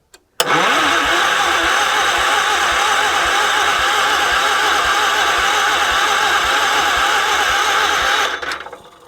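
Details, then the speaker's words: 1978 Wheel Horse C-121 garden tractor: starter churns steadily about two and a half beats a second for eight seconds without catching; spark tester shows no spark, though owner doubts the cheap tester works. "But we got no spark."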